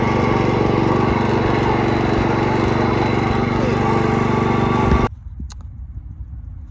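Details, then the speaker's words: Cub Cadet 104 garden tractor, ant-infested and sitting many years: engine chugs at fast even beat then abruptly dies; runs only on choke, owner suspects fuel starvation and may need to clean the carburetor. "So, we'll see if it clears itself up here in a minute and I can take the choke off. If not, I guess I'll have to clean carburetor out."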